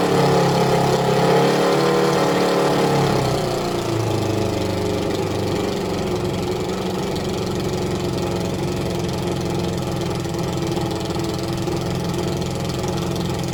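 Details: Suzuki ZL600 Eliminator during carburettor synchronisation, left two carbs far out of balance: revs drop from a higher hold to an uneven loping idle about three to four beats per second; balancing banks expected to fix it.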